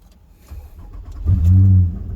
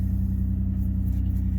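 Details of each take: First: 2005 Nissan Murano, towed in with dash warning lights: the engine catches on the first try, runs rough for about half a second, then dies, and restarts the same way. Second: 2005 Nissan Murano towed in with dash lights on that would not run well, just reassembled: starts and settles into a steady, even low idle with no knocks or misses; normal idle.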